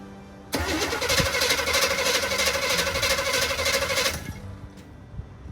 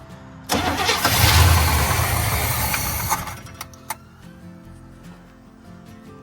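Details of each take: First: 1972 Chevy C10 402 big-block V8, unrun nearly 30 years after 1997 flood, with rebuilt carburetor: catches after brief crank and settles into a steady, even run with no knocks or misses; normal running. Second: 1972 Chevy C10 402 big block, flood survivor unrun for nearly 30 years, old oil drained: cranks with brief rough surge that fades without catching; owner suspects fuel starvation, maybe clogged filter or gummed carb bowl.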